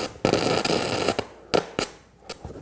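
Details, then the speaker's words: Arccaptain 200A AC/DC TIG welder on stick with 6010 rod, raised to about 95 A; crackle comes in short bursts with dead gaps, arc dropping out and restriking, struggling to stay lit. "Yeah, I'm having a hard time keeping it lit. Not really surprising, but you know, I can see how that would be really frustrating if you're new to welding and you're using 6010s."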